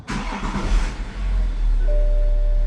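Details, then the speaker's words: BMW F15 X5 35d diesel started after fuel filter replacement: quick catch with short rev burst, then steady low idle immediately, no cranking lag; clean start. "bam no lag not bad"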